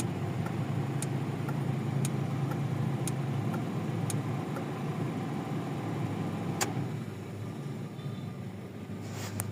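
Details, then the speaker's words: Toyota Corolla GLI 4A-FE petrol engine after idle and misfire repair, with AC compressor clutch relay checked; now a low, steady, quiet idle with no stumbling. "So okay na ngayon tahimik na. Hindi na siya tulad kanina."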